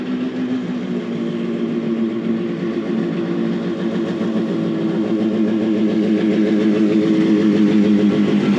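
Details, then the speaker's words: Benelli 250 2C two-stroke twin, warm after a cold smoky start and a sticking clutch: a crisp, even burble rising with throttle. The engine runs lovely; it is still settling in and needs more running. "yeah yeah yeah yeah it the engine runs lovely um tick overs 2 I that um you know that's kind of normal right you know cuz it's not been run properly"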